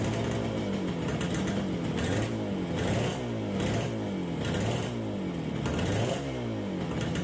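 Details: 1969 Yamaha DS6 two-stroke twin, warming up on fresh premix after carburetor rebuild: surges up and sags back about every second, won't idle, very boggy on throttle, choke makes it worse; carburetor fault suspected.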